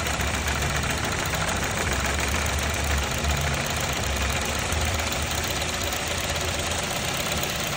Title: Easy process 😄 how to check ignition coil 😮 misfire problem solve